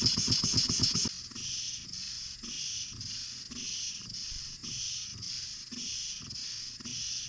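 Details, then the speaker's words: Antique brass walking-beam steam engine after new gaskets, slide valve and valve rod: light even ticking and rattling near four beats a second with loose knock; exhaust beats even, rattle source not yet found. "well other than the rattling and the knocking sounds that we still have everything is sealed up here in the front"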